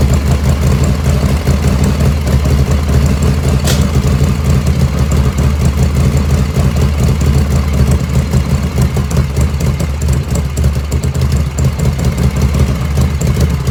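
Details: 1985 Harley FXRS Evo just restarted after reassembly, idle jet set close: loud, steady low V-twin lope with even firing pulses, no misses or stumbles; normal idle.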